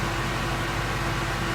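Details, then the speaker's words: 2016 Ford Mustang Coyote V8 at operating temperature, 1,000 miles after oil change: steady, even low rumble at idle with no ticking or knocking; owner calls it a very smooth running motor, nothing out of the ordinary. "is a very smooth running motor nothing seems out of the ordinary"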